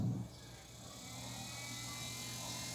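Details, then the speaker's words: Attack CM 1515 active speaker with accessories fitted, powered on with no audio input: quiet steady low hum with a faint whirring hiss, likely an internal cooling fan heard through the audio; the customer complained of strange noises. "bom vou ligar a caixa sem inserir nenhum sinal de áudio para gente ouvir o barulho que essa caixa está fazendo"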